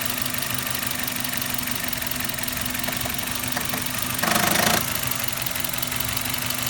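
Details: Suzuki Ignis M13A engine at idle: light, uneven knock around three or four a second over a hissy background; foreign noise in engine, source undiagnosed.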